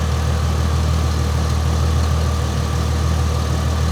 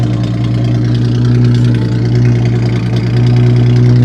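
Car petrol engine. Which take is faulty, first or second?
second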